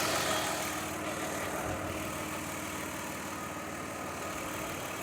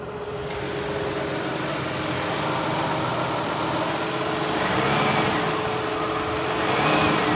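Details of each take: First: 2003 Mazda Tribute V6 after fixing the misfiring cylinder's coil, whose arcing came from leaking valve covers: steady, even idle with a smooth, consistent hum and no stumbles or skips; normal idle on all cylinders. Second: 2003 Mazda Tribute V6 at idle, old coil refitted and plug cleaned, AC possibly on: uneven idle with irregular surges from a cylinder misfire; leaking valve covers letting coils arc are blamed.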